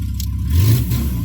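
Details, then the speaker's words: VAZ-2114 with Lovato LPG system, switched from petrol to gas: idle sags and swells and will not hold steady and stalls without throttle; runs fine on petrol. "И она перестает держать обороты нормально. И вовсе глохнет, если не подгазовывать."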